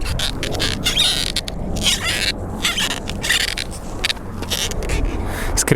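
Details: Longboard rocked by hand gives repeated loud, scratchy high squeaks from the trucks (suspension), which can speed wear of the rubber bushings.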